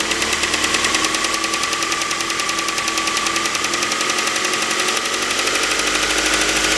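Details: 2006 Mazda 3 BK 2.0 LF engine, 150,000 km, at idle: fast even ticking riding over steady idle, holding its pace throughout; valvetrain-type tick of unknown origin.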